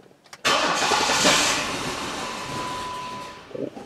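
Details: Jeep Liberty 3.7 auction vehicle that would start only occasionally with mechanical noise and no idle; starter spins fast and evenly with no firing and no compression pulses; crank no-start, found to be a leaking intake valve.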